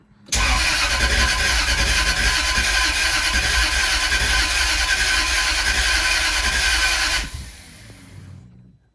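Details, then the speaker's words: Jaguar S-Type V8 with new engine, first start attempt, cylinders filled with WD-40, new plugs: even starter cranking about three to four beats a second with no firing; suspected crank position sensor connectors swapped, then switched. "trying again nothing I just want the two connectors over the current position sensor let's see if that makes a difference"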